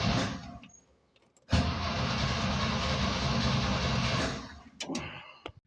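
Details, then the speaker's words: 1969 Jeepster Commando Dauntless engine, worse after an hour-long drive, two exhaust leaks at the manifold collectors, timing set: catches for a few rough, uneven seconds and dies with sharp backfire pops; cause not found, vent lines suspected. "tried to start it. It's worse than yesterday. It's just backfiring now."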